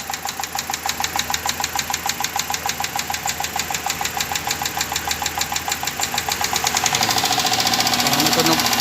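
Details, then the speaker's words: 2014 Dodge Durango that wouldn't start, running just after a stuck fuel injector was freed and refitted: sharp, even light ticking about three times a second over a quiet idle, quickening slightly with revs; noise attributed to a valve lifter. "Injector problem due to stucked up but there is sound in valve lifter"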